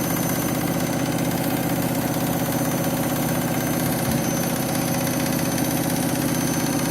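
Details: Washing machine final spin after a very sudsy final rinse (possible suds lock, load sensor deciding speed): loud steady roar with a faint thump about twice a second; the spin is noisy, cause not yet found.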